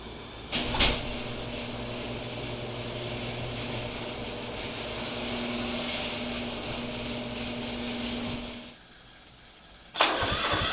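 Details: Restored Kubota G4200 garden tractor on blocks, first start after final assembly; the whole fuel system had been redone and bled: starter churns steadily about eight seconds, roughly four compression beats a second, never catching. Cranks, no start; cause unconfirmed.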